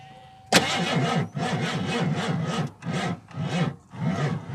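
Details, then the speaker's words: 1987 Ford Crown Victoria that sat during quarantine, low on fuel: labored uneven cranking sagging and surging without catching; slow crank from weak, flat battery. "Uh-oh. That battery sounds dead. That sounds DED dead."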